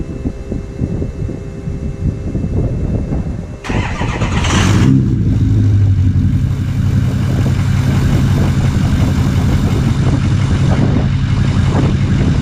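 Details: First startup of a 6.0 diesel truck after installing a new upgraded turbo, recorded at the tailpipe on current tune: cranks, catches with a brief rev, settles into steady even idle clatter; sounds healthy.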